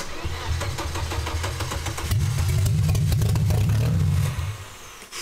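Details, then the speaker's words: Volvo 850 first start after installing a built engine and converting from LH3.2 to M4.4 management with coil packs and variable valve timing: deep, uneven thrum with a steady beat. No intake popping or exhaust spitting, so the firing order is right. "all right well it fires the firing order sounds right it's not popping through the intake it's not spitting out the back"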